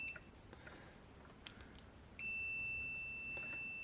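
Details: Suzuki SS-II ignition tester under repair, checking mains wiring after a suspected bad terminal connection, with the plug wiggled: clean steady high-pitched beep holding without dropout; continuity beep, good connection.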